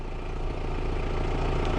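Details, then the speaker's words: 2000 Volkswagen Jetta with intermittent stalling and no-start (fuel pump previously replaced), left idling after start to check for other issues: low even idle with steady beat, no misses, stumbles or knocks. "After this, I'm going to keep it running for a little bit. I'm going to make sure that we don't have any other issues."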